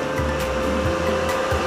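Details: Lakoni 900 W welding machine, reported to power on but give no arc, being serviced: steady fan hum with thin constant high tone and a few low thumps; machine powers up and runs evenly while voltages are checked.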